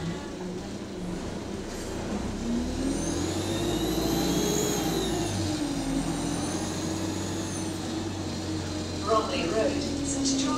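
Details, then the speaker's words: Euro 6 bus on route 367, heard from the cabin: a high thin whistle rising and falling with throttle, highest at full throttle and higher-pitched than a Euro 5's; turbo boost leak. "yeah when the driver presses the thr to the max the pitch of the turbo will be so high from it's a it's a bit higher than the Euro 5's turbo leak"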